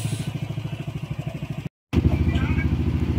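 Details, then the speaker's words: Yamaha Nmax v2 after engine refresh, tensioner and magneto replaced (crankshaft shaft was scored): even, regular pulsing at idle with no knocking or rattling; quiet and healthy. "Pero okay na siya, tahimik na siya. All goods."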